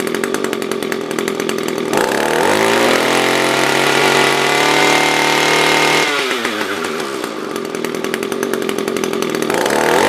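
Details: SRM-210 trimmer after carb replacement with new filter, plug, fresh gas and handle: small two-stroke settles to steady idle, revs cleanly for a few seconds and drops back smoothly; normal idle and revving.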